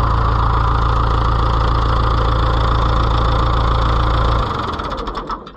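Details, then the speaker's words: Oliver 500 tractor (David Brown 850) in neutral: a steady, even diesel chug at about four beats a second, then a clean shutdown; runs great, normal idle. "make sure it's in neutral so it does not kill us I need to put my battery cable back on too there we go runs great"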